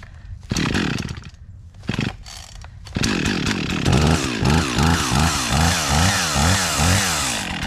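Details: Husqvarna 55 Rancher chainsaw, bought as a non-runner and fixed, cutting a pine tree: a few sharp revs, then a strong steady snarl dipping and recovering rhythmically as it bites wood; healthy under load.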